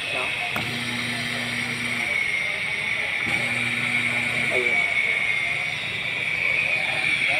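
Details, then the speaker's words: Noisy exhaust fan motor switched on: harsh, gritty rasp with a high scraping ring over the fan's hum, like a grinder; worn, dry motor bearing grinding. "Sa tunog pa lang parang h ko alam kung gilingan siya or kung pamilyar ba kayo sa kulig"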